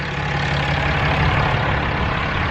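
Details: 2016 Ram 3500 Cummins diesel idling right after installing an S&B cold air intake and aFe intercooler pipes: steady, even low rumble with no knocks, misses or whistles; about the same as before at idle, no codes.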